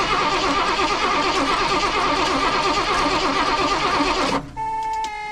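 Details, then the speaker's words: 23-ft Birchaven motorhome, Quadrajet carburetor, first run after 12 years: float bowl refilled by squirt bottle, engine runs steadily about four seconds then abruptly dies; owner suspects fuel isn't being pulled up from the pump, possibly a fuel-line routing problem. "Okay, it sounded pretty good. Possibility that it's just not pulling the fuel up to it."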